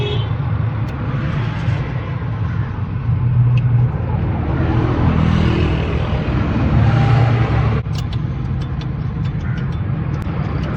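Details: Toyota Hilux diesel (2L/3L/5L) after injector nozzle repair for a misfire: steady even clatter and low rumble at idle, no misfire or uneven knock; engine sounds healthy.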